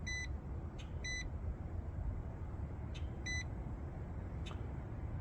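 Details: Multimeter on its lowest range checking a home outdoor AC unit (240 V system) that quit, leads touching ground: short paired beeps near 2 kHz over a low hum, a continuity tone reading 0, as expected, before checking the motor wires for a short to ground.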